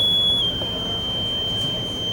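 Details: Fire alarm buzzer holding one continuous high-pitched tone that stays latched on after a reset; the alarm failed preventive maintenance, with smoke detector cleaning following. Cause suspected, not confirmed.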